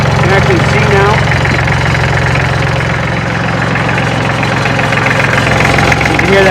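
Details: Kubota L3400 diesel tractor, engine still warm, no glow plugs: steady, even diesel clatter with a low regular thump at idle, no misses or knocks; runs healthy after the previous day's work.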